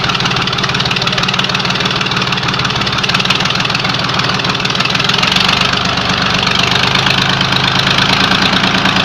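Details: Freshly rebuilt YaMZ-236 V6 diesel on first start, idling with a steady, even clatter and a firm low beat, no knock standing out. Some smoke was noticed afterward and the engine had warmed slightly. Normal idle.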